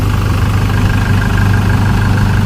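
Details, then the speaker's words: Smooth, steady diesel idle with no knocks or misses on a 2012–13 Chevrolet Colorado after injectors were tested and recalibrated and ECM codes cleared; before, it had white smoke, stumbling, knocking and poor acceleration. Now starts easily, no check-engine light. "นี้สตาร์ทออกมาเดินนิ่งนะ"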